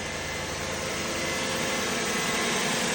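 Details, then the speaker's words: 1995 Toyota Celsior (LS400) 1UZ-FE V8 just after a tune-up with new spark plugs, ignition wires and coils: starts right up into a steady, even idle with a smooth airy hum, no misses or knocks; healthy. "Start it right up. That's what you want. You want to get it started right up. Let's get it. Sounds good."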